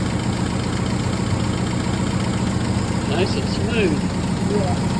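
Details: MGB under restoration, carburetors just refitted with new seals, outdoors: quiet, steady idle with a soft low rumble and no hunting or misfire, no exhaust smoke. Healthy normal idle.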